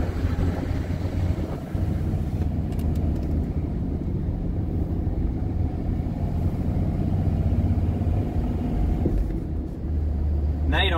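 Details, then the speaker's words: Diesel truck test drive after redoing a transmission install because of a camshaft oil leak. Steady diesel drone with turbo audible and no gear whine, rattle or clunk. The transmission is now almost silent, far quieter than before. "don't hear the transmission anymore you hear the engine I can hear that turbo over there I don't know I mean it's it's way quieter than it was before like almost dead silent transmission"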